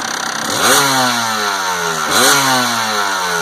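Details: 1992 Kawasaki KDX200 two-stroke blipped twice; revs rise and fall cleanly but a light metallic rattle sits over the idle, source not pinned down; owner asks whether the rattle is normal.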